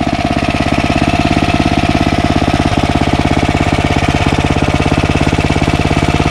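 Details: Ariens ST1128 snowblower, 11HP Tecumseh Snow King engine, after carburetor cleaning fixed surging: even single-cylinder beat of about three pulses a second, no hunting or surging; healthy.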